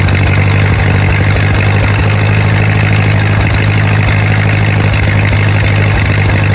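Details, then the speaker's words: 1928 Ford Model A four-cylinder revived after 75–80 years in a ditch: low, steady even idle with no knocks or misses; runs really good, though carburetor flooded earlier and clutch/transmission grinding still needs adjusting. "But all in all, she runs really, really good."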